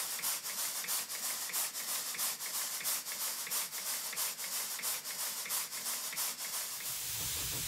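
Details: Southworth Engines large duplex steam pump running on compressed air after valve timing tweaks: crisp, even exhaust beats about ninety a minute over a light steady hiss; running smoothly and healthy.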